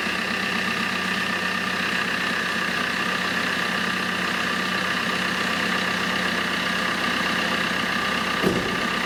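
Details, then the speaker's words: 2008 Fiat Panda 4x4 with a 1.3 Multijet diesel, idling after a thermostat replacement while the coolant bleeds, before reaching temperature: a steady, even clatter with no misses or knocks. It runs normally and later held the correct temperature. "so the engine's running okay uh i'm going to leave it for about 15 minutes let it get up to temperature and then i will report back"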